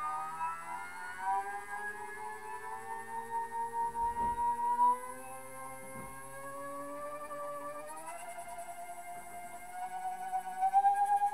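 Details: NEMA 34 stepper on ST-M5045 driver, 24V, Arduino control, with added load on the shaft: tone climbs in steps and keeps faltering, stalling during acceleration and never settling at full pitch; loaded stepper cannot reach full speed, unlike unloaded.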